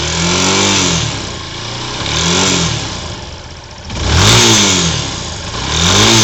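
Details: 2007 Yamaha YS250 Fazer, noise began after running only Petrobras Podium gasoline, appears when revved in any gear, sometimes even cold; tensioner already replaced without fix: rough raspy rattle on each rev rise, cause unclear.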